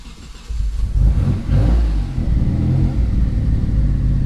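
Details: Mitsubishi 3000GT VR4 being tuned for two-step flames, fuel just reduced, engine cold: weak rumble, then it catches only with a heavy throttle blip and settles into a lumpy rev. Hard start.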